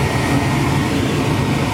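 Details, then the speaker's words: Heil furnace: the inducer runs with amp draw, then the burners light into a steady, even roar over a smooth inducer hum with no surging; normal burner operation. "There's the inducer. You can see we have an amp draw. Okay, we have fire."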